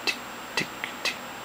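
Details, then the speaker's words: Seagate FreeAgent Pro external hard drive with failing 24 V power supply (reads 24 V but can't deliver 2 A): repeated sharp clicks about every half second as drive keeps trying to spin up, sounding like stuck heads; fixed by replacing failed supply capacitors. "it kind of sounds like they're like not quite powering on they keep trying which sounds like the drive is dead or something sounds like you've got some stuck heads in your in the actual hard drive in there but that's not the case"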